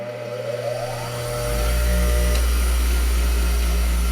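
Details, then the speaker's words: Garage-sale bench grinder, newly wall-mounted, switched on: motor spins up over about a second and a half to a steady, even hum with constant pitch; runs smoothly and healthy. "Grinder works."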